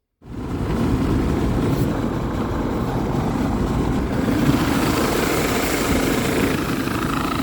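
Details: Dometic RV roof A/C unit installed about 6 months earlier, running: loud, rough whooshing drone with a continuous gritty scraping. The blower wheel came loose and sits off-center, rubbing on its plastic housing.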